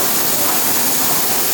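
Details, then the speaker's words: 1912 Otto 175 hp museum gas engine, formerly a water works plant engine: loud steady rush of compressed air turning the engine over with no firing beats yet, an air start before it fires. "Air start. I wasn't expecting that."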